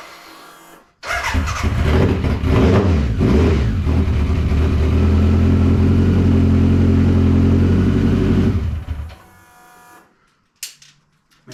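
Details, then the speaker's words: BMW K100 café racer build starts after connectors that had bumped out under the fuel tank were pushed back in. It revs unevenly with a lumpy beat before cutting off and still runs rough; cause not found. "still sounds as rough as guts so I'll need to do something but at least it runs"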